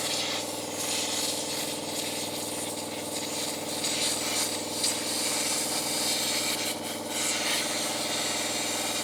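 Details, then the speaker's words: Long-stored air compressor powered up: motor drones at a steady pitch under a loud, constant hiss of escaping air. The tank drain valve underneath is open or missing a piece. "sounds like the valve underneath is open"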